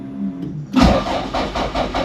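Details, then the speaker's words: 686 bhp time-attack Toyota MR2 with a very small battery. The starter turns the engine over in uneven, labouring pulses with no catch. Cranks but never fires; the battery is low, and it started after charging. No start, low battery. "let's cranker over so usually that first time it doesn't start and then the next time it will ah battery's low damn it it's got a very small battery so it runs out quite"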